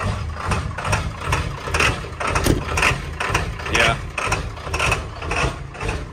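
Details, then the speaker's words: 7.3L Power Stroke diesel, cold first-morning start: surges and sags about once a second, bucking and shaking, then idles and smooths out; hard start, new ICP sensor fitted, owner suspects injector O-rings. Warm after 10 miles it starts smooth. "so as you can see it bucks it shakes it cackles and then it idles and smooths out so you can tell that something's going on"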